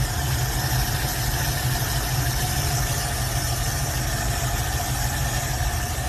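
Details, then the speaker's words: Carbureted V8 hot rod gives a loud, steady idle with an even beat and no knocks, misses or surging; it is purring. The choke still needs adjusting and a new accelerator cable is still needed. "This thing's purring."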